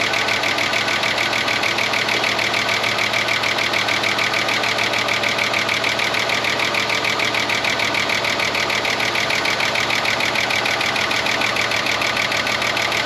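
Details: 30-year-old Ford Falcon one-tonner revived from a paddock, cold idle just after starting: fast, even, sharp light ticking about three per second, apparently a cylinder down; owner suspects a stuck lifter and will warm it up to pump it, not confirmed.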